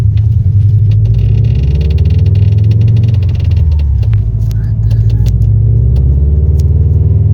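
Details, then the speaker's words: Air suspension car with Airlift Performance pillowball strut top mount, heard while driving: scattered sharp clunks and knocks over road rumble, a worn strut top pillowball bearing; the struts must be removed to replace it. "uh and yeah it's not nice it sounds like it's really awkward driving around and it's just like er everywhere"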